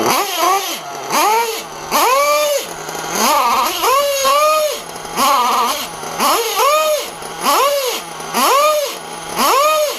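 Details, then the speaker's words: RC nitro engine with a 3-screw clutch and an old Hobao 36mm flywheel, blipped about once a second: each rev has a scraping edge as a clutch post sits raised and rubs the bell, possibly from a missing screw. "Yeah, you can hear it. You can hear it rubbing in there. I think what it is, guys, is check these on these 3-screw clutches."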